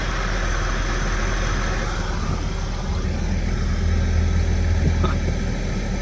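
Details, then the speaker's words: 2003 Porsche Boxster base (tiptronic), flood-salvage car bought non-running; smooth steady idle with slight load change as the AC compressor cuts in — normal idle with AC engaged. "It sounds beautiful. See the AC? The AC kicks on."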